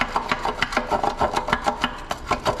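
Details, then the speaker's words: Removed OEM catalytic converter from a Honda S2000, shaken by hand: loose metallic rattling bursts, about five or six a second, as the detached inner mesh moves. It rattled fast with exhaust pulses on starting and damaged the O2 sensor. Loose cat substrate rattle. "that is the mesh inside of it becoming entirely detached so when i would start the car you would hear that but really fast from all of the exhaust pulses"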